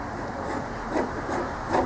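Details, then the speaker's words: Mower deck spindle turned by hand: rough gritty grinding with harsher scrapes about twice a second from worn spindle bearings, loose in the housing, shaft seized to bearing; all bearings replaced. "Hear how loud that is? So that's kind of why I did it. This one was bad, so I figured if this one's bad, let's just replace all of them."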